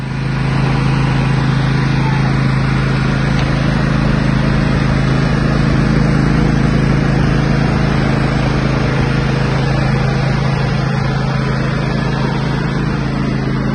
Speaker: So after a couple weeks of using her throughout the property, did great, solid.